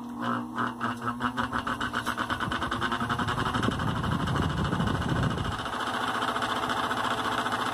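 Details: Mallory electric fan switched on: loud, rough rattling buzz from a worn motor shaft bushing; likely needs rebushing.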